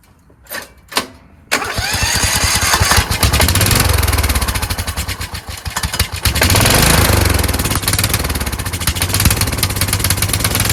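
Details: Kohler Courage engine on a tractor, after a cylinder head swap, carburetor replacement and valve lash adjustment, started on choke; it catches after a few pulls, then hunts up and down. Owner suspects the throttle bracket: the return spring made it want to stop.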